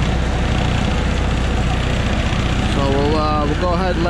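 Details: MEP-802A military diesel generator, started after a fuel gauge replacement, no preheat needed: steady even diesel clatter at constant speed with no misses or knocks; running normally.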